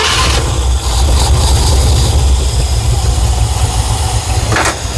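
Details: 1969 Ford F100 running low, lumpy and uneven, stumbling before shutting off, consistent with ignition timing being off; the key would not shut it off, needing the kill switch; a plug is suspected.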